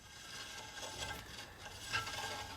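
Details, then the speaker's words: Camper trailer wheel with electric brakes turned by hand. A faint, light scraping rub that swells and fades with rotation as the brake drags; the owner thinks it probably needs new brake shoes. "probably needs new brake shoes."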